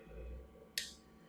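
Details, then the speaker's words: BestCode CIJ inkjet printer block solenoid valve clicked on and off from the keypad after being cleaned of ink residue. One crisp, sharp click with no buzz, so the solenoid moves freely and is no longer blocked. "on and off and you can hear it uh firing on and off very nicely"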